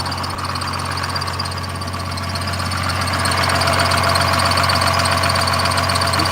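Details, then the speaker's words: 1986 Ford F350 with a diesel engine swap, idling: a low diesel rumble with a light, quick chirp repeating about four times a second. Described as just a little belt chirp; cause not confirmed. "little Bel just a little belt chirp that's Clifford guys in case you were wondering"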